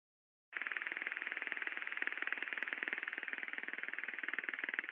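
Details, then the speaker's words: Ultrasound recording of a conveyor bearing turning at 238 RPM: rapid, regular clicking impacts over a hissy high tone, a damaged rolling-element bearing striking its defect. "it's very clear you know there's impact in the silence City clearly here"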